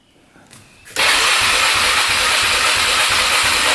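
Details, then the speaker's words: 2002 Honda Rubicon 500cc ATV, 5,000 miles, seller says it only needs a carburetor cleaning, battery hooked up, no codes: click then loud steady starter whirr with even pulses about five a second; electric start cranks normally. "Not flashing any codes. We're off to a great start here. Sounds pretty good. Electric start's working."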